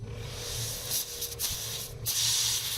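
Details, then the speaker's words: Mercedes E55 AMG 5.4 V8 Airmatic, right side sitting low, codes 5500/5501: with the compressor switched on and off, a steady hiss of air escapes the lower part of an air strut over a faint hum; strut is leaking. "and by flicking it on and off with the compressor i was able to see the pressure was coming on and off and i was able to hear the air rushing out of the suspension on the lower part"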